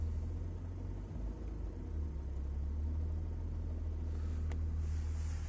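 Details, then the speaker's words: BMW E34 M50 at about -2°C with a manual air valve replacing the Siemens idle control valve: deep, slightly uneven idle around 500 rpm, oil pressure 47; colder means harder to hold idle from insufficient bypass air. "чем у нас ниже температура тем а кстати - полтора уже почти чем ниже температура тем тяжелее держать холостые"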